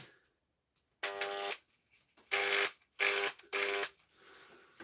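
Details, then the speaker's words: Damaged 240V Makita angle grinder, plugged in: short harsh buzzing bursts, each about half a second, with no run-up to speed; the grinder is faulting and tripping the sockets again. "it's plugged in hear the sound that's not the sound of success here darn I'll tell you what that sound is but any I'll unplug it here now where it blows out there we upsite the sockets again that's what it did"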